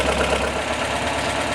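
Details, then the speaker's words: Pushrod Volvo B18/B20 engine in a 544, idling right after valve adjustment and cover refit: light, quick, even sewing-machine ticking over steady idle; valve rocker assembly well adjusted. "And you can hear the valves kind of doing their thing. It kind of sounds like a sewing machine. If you want to take a listen there. That's a well-adjusted valve rocker assembly."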